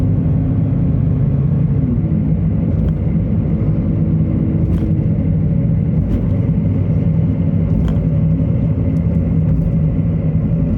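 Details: Subaru Traviq XM220 (Opel Zafira) driving: a steady, low droning rumble with a faint hum from a damaged wheel hub bearing, which was then replaced.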